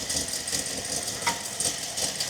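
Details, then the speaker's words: 1961 Buick LeSabre nailhead engine on new gas, just started cold after a bigger charger boost. It idles unevenly with irregular stumbles and pulses while warming up. Rough idle. "It's running a little bit rough. Let's uh I'm going to give it a minute to warm up."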